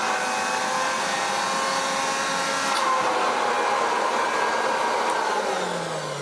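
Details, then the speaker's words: Hoover Junior 375 upright, 1950s–60s, stored for decades, suction test with a water lift gauge reading a solid 10: a strong, steady motor whine holding pitch under the sealed load, no surging. Suction is normal. "However, that is doing enough to test the suction."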